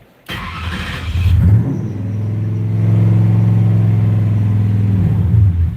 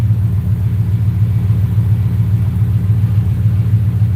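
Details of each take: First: V8 (4.6) on a Terminator X V2 ECU catches, surges up, hangs briefly, then sags rather than settling; idle won't hold because the throttle plate is closed too far. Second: 4.6 V8 on Terminator X V2 ECU, idle set to 800 rpm with the IAC balancing it at 42: deep, steady, even rumble with no misses or knocks; smooth normal idle.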